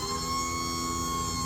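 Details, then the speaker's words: 2011 Ford F-350 dump truck electric hydraulic hoist raising: steady high squeal over a low motor hum, only when going up, tightening then squealing; pump suspected, not confirmed. "Whether I think it's all in the pump, though, cuz you'll hit the button sometimes and it'll start working immediately. And it'll squeal."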